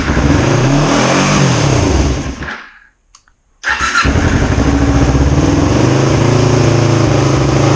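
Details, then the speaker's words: 2005 Kawasaki Ninja 250 twin after rebuild and timing reassembly: fires up after a brief stall and runs with an even, steady beat, no misses, both cylinders now firing properly. "So much smoother now. Awesome. It sounds like both cylinders are now firing properly."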